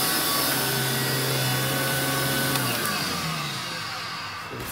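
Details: Electrolux 612E (600 series) upright vacuum after new Qualtex brushroll fitted, lowest carpet setting: steady motor whir with even brush hum, then spinning down smoothly; running normally.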